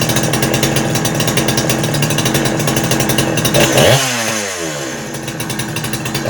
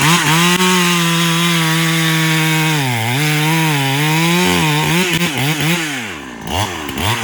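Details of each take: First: Husky 372XP clone chainsaw after port timing changes, running without bar and chain: screams at high revs with burbling, uneven break-up in the note, typical of a rich carb setting making it four-stroke. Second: Farmertec Husky 372XP clone chainsaw after new ported cylinder kit, carb running fat on top, dull chain, cutting wet unknown wood: strong high-revving snarl sags slightly into the cut and recovers quickly; healthy, more power than before.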